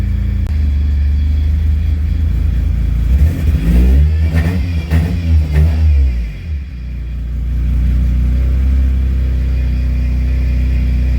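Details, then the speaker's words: Car after replacing a failed fuel pump that caused stalling: steady idle, then several quick clean blips rising and falling smoothly before settling back to an even idle; running well. "yeah that was that was easy fix that's what it was it was my fuel pump fuel pump went out"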